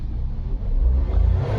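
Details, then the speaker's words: Nissan Micra petrol automatic with a starting problem, hard starting and no pickup, after fuel pump assembly replacement and clearing codes: the engine swells smoothly and holds a clean deep rev with no sputter or hesitation and no fault codes; normal revving. "हमारा engine start नहीं हो रहा था अभी तो engine वगैरह सब start हो गया है यहां पे कोई फॉल्ड कोड नहीं है"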